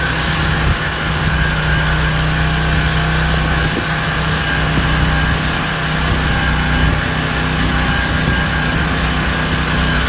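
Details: King Canada Powerforce 1500W generator, no load, governor screw adjusted to about 120 volts: steady even high speed with no hunting, surging or knocking; normal no-load running.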